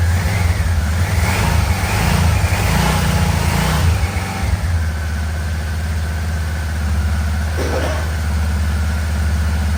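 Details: 1987 Yamaha Venture Royale 1300cc motorcycle, first run in a long time, throttle cable not connected: after a few blips settles to a low lumpy idle with an odd skipped beat; intermittent misfire attributed to a wiring issue.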